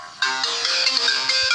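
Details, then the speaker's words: Samsung Galaxy A10s (A107F) after Android update, ringtone at reduced volume: harsh, crackly, tinny speaker output at the top end; ringer and PCB swaps didn't help; distortion caused by the faulty firmware. "ये देखो आवाज़ कम कर दी है मैंने, फिर भी इसकी आवाज़ फट रही है।"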